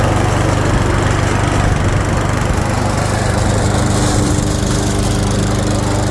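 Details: 2014 Troy-Bilt leaf shredder vacuum with Briggs & Stratton engine, running after a no-start from stale fuel was fixed by flushing the carburetor bowl and fuel system: steady, even low drone under the shredder's rushing and chattering, no hunting or surging; normal running.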